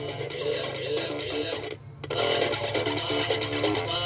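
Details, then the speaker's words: Intex home theater system with CD2025 IC amplifier board, playing music from a phone via aux at high volume: thin, tinny sound with almost no bass from the two satellite speakers only; the subwoofer has no output. "तो यहाँ पर देखिए ये आवाज़ आ रही है लेकिन ये आवाज़ खाली हमारी दोनों स्पीकर के अंदर ही आ रही है, जो हमारा बूफर है वो नहीं चल रहा है।"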